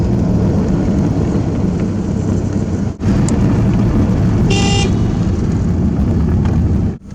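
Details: Old $500 Toyota Corolla running after new fuel pump, fuel filter and air filter were fitted: steady running rumble with a brief horn-like chirp, running evenly without stumbling; normal running.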